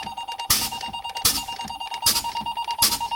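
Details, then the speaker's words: Truck air brake check, pumping the brake pedal to bleed air: steady high buzz with regular air-hiss bursts as the low air warning comes on at about 70 PSI, above the required 60; working properly. "Now I'm going to pump the brake pedal down, and at 60 or above, the warning light or buzzer, low air warning light or buzzer should come on at 60 or above. There, it did, see?"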